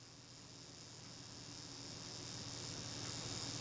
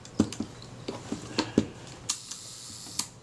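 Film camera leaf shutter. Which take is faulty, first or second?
first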